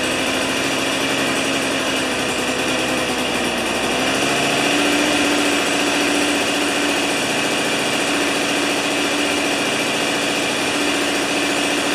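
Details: Old two-stroke snow thrower that sat for years, now on 40:1 mix after starting with the choke. Steady, high buzzing run settling to an even speed with no stumbling or surging; running cleanly.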